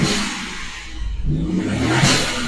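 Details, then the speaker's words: Renault Clio TCe 0.9L turbo engine revved with air box disconnected: rising rush then hissing whoosh as boost builds and the dump valve vents, normal for this setup. "Tu vois, j'ai la boîte à qui est débranchée. C'est pour ça qu'il y a la de valve qui se maroute. Tu vois, tu montes en pression."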